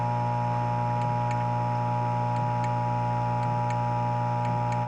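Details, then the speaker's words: 1993 Data East Jurassic Park pinball, 50 V laser-kick coil fired in switch test: faint paired ticks about once a second over steady mains hum, coil barely pulls; coil free with good resistance, 50 V bridge rectifier hot, probably smoking, suspected shorted, its fuse blown. "But I suspect this bridge is shorted. So here I have it in that laser kick, and I don't know if you can hear it, but when I hit this switch, just listen."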